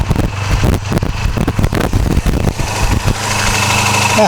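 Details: 1984 Honda VF500F Interceptor after fuel pump wiring check, owner suspects a bad connection: uneven cranking with ragged sputters that briefly catch then fade; won't start and run.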